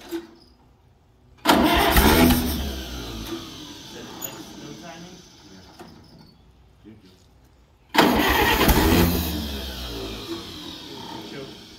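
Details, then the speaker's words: Allis-Chalmers WD45 tractor, sat at least 15–20 years, freed with a pipe wrench and coil changed: two short bursts of uneven, lumpy running that flare on throttle then sag away; running rough, needs to clear, cause unconfirmed. "well it popped as soon as i gave her a little gas we just got to get it breathing it's been sitting for how many years do you think at least 15 or 20."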